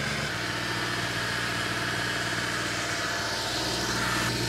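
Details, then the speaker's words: Porsche 986 Boxster with V8 engine swap, idling while warming up and watching temperatures rise: smooth even idle, steady low rumble, no knocks or misses; normal idle. "nous avons une rockstar qui fonctionne oh ça sonne bien jusqu'à présent les températures augmentent"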